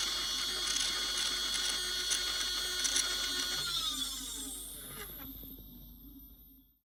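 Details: Sky-Watcher HEQ5 Pro mount slewing after being rebuilt. A high buzzing whine with fast, steady chatter from the drive, then winding down. Loud slewing noise; cause not yet found.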